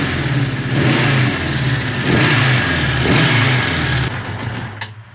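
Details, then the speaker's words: Suzuki GS550T, engine still cold, first start after 10 years with freshly cleaned carbs: it blips up and settles, firing on all cylinders and pulling cleanly before shutoff. The idle was left as set; normal running. "I'm actually quite happy with the uh the idol on us I'm just gonna leave the way it is because it's really hard to get at the uh The Idler adjuster is it's in here all the way back the engine's still cold"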